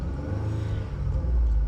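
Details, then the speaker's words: 2014 Ford Taurus, bought cheap to flip, running again with OEM ignition coils refitted and cooling lines not yet burped; deep, even engine note climbing and falling cleanly with throttle, turbo spooling audible, no knocks or rattles; runs and drives great. "So, clearly it runs and drives great. It sounds good."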